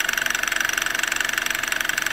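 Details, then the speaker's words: 12-year-old Toyota Camry, now warm: fast, even, sharp ticking about twenty times a second over a quiet engine, much louder than when cold, mic held close to the engine; oil now spits from the oil cap; timing chain noise. "ipaparinig ko ulit sa inyo yung ingay na lumakas na po ngayon, nag-amplify na yung ingay."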